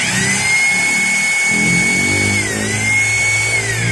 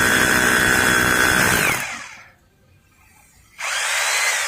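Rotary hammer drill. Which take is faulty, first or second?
first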